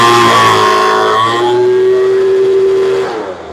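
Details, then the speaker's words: Poulan Pro two-stroke blower that wouldn't start after sitting (suspected carburetor air leak, not pulling fuel), after carb adjustment of about 1/8 turn: screams up to high revs with a steady tone, drops cleanly, slightly slow to come up; runs fine. "She sounds really nice. The motor screams. A little slow coming up."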